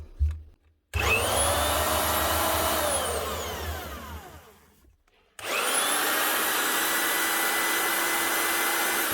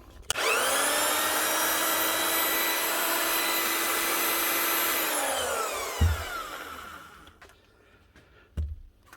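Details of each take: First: Marcrist DDM3 three-speed wet and dry diamond core drill. The motor whines up, coasts down and restarts with a rough growl from a worn gearbox bearing; the head is rusting inside and the seals are gone. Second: Marcrist DDM3 three-speed wet and dry diamond core drill after repair with a new bearing and second-hand housing (seals were gone, previously growling): spins up smooth with even high motor whine, coasts down cleanly; normal run.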